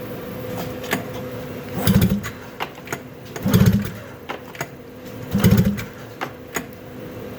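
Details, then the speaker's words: 2000 Arctic Cat ZL440 two-stroke snowmobile during a rebuild for a split crankshaft, compression test on the right cylinder with a gauge: three hard pull-starts give strong chuffing cranks reading 115–120 PSI, which is good cranking compression. "120 PSI. 115 to 120. That's pretty good. All right, that's good. Right cylinder, yeah, right cylinder's good."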